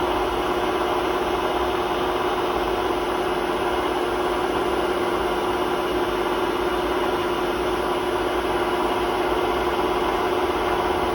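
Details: Hotpoint WMA32 washing machine at 800 rpm spin in its last run on bad bearings before replacement; steady deep roar with faint hum, no letup; worn drum bearing rumble.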